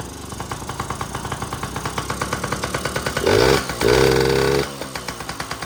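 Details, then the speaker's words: Yamaha PW50 two-stroke, airbox off, fuel possibly turned off. Lumpy uneven idle, then two short rev attempts flatten out instead of climbing; it bogs under throttle. Owner hopes the fuel being off caused it. "the bogging out. Oh, yeah, she's a Um well, hopefully it's cuz I had the gas off."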